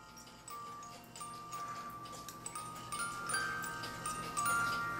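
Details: Regula A-25-85 Black Forest cuckoo clock (1985) music movement after the worn comb was moved closer. A bright chiming melody plays over soft clockwork ticking as the Music Man rod works, then slows and winds down to a clean stop; healthy movement.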